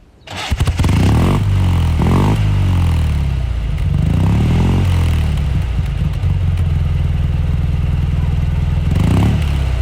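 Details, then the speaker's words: 1950s Panhard Dyna X86 Sprint air-cooled twin heard from the back: ignition pushed in, then rough, lumpy, agricultural twin-cylinder beat rising cleanly with throttle; coarse but normal running. "let's start her up because i want you to hear how she sounds it's quite agricultural but honestly she's really grown on me"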